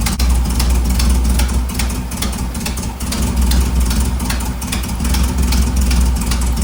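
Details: 1958 Karmann Ghia air-cooled flat-four with carb swapped from stock 28 PICT, idling after the rockers and valve clearances were adjusted: steady, even rumble and regular pulse with no valve clatter, a normal idle.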